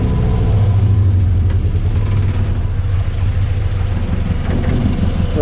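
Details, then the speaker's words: 1966 Austin Healey Sprite four-cylinder running on its own fuel pump with no smoke: a deep, steady idle that holds evenly without stumbling. Normal idle. "good running on its own fuel pump and everything got that performance inside no smoke no nothing runs pretty good"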